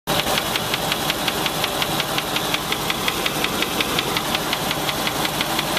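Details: Land Rover 4.6 engine at idle: sharp metallic tapping about three knocks a second over steady idle; internal engine knock, suspected bad rod bearing, collapsed piston skirt or bad lifter, not confirmed.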